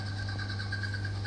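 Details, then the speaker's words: Bosch tumble dryer switched on: only a steady, even motor hum, with no drum rumble or tumbling. The motor spins but the drum, which turns freely by hand, does not. Broken drive V-belt. "You can hear the noise. Machine not rotating, drum not rotating, but the motor rotating noise only we can hear."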